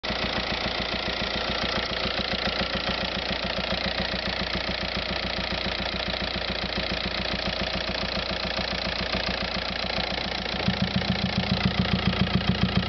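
Steady diesel idle clatter with regular ticking, then a heavier low pulsing knock joins near the end; an odd noise, cause undetermined.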